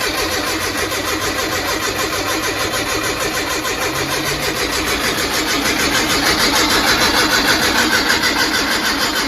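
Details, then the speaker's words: Brubaker Box with newly installed engine and two-barrel carb, first start attempt: starter cranks steadily about three turns a second but never fires; seems not to be getting gas from the fuel tank, ether spray makes it go. Crank, no start. "huh it's like it's not getting gas if I spray a little ether in there it goes of course"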